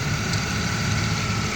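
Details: 1990 Oldsmobile 98 Regency Brougham, 3800 V6 (pre-Series II), at idle with the AC compressor pulley bypassed by a 73.25-inch belt: steady, smooth low rumble with no belt squeal or chirp, where the compressor previously screeched. Normal idle.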